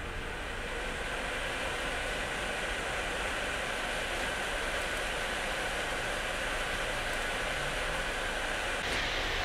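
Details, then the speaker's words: Asus Strix GTX 1080 graphics card with a worn bushing slowing the rear fan: loud steady airy rush as the card drives the other fans to maximum to compensate, which risks wearing them out; fans at full speed. "Aparentemente, como detecta que uno de los ventiladores está andando a una velocidad inferior, sube la velocidad de los otros al máximo para compensar."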